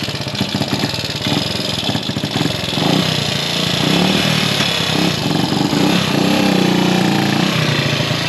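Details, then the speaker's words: Gilera 124 V4 motorcycle on its first proper road run, idling down after the ride; uneven, stumbling beat with occasional popping, not running right, attributed to carburation; spark plug still to be checked. "how was that uh Popp on it's not running right okay but work in progress yeah it's only carburation"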